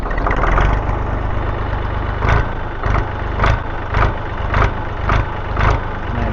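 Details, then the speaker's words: Massey Ferguson 231 diesel tractor after repairs, oil, coolant, fuel and hydraulic oil levels good, before mowing: even, low diesel chug at idle, steady pulse about twice a second, no knocks or rattles; sounds great, healthy idle. "this sounds great."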